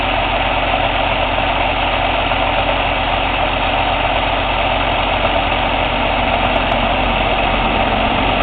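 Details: Cummins ISX CM2250 diesel idling during DPF regeneration: rhythmic airy intake chuff about once a second, no mechanical noise or metallic knock; owner suspects turbo chuff during regen, unconfirmed.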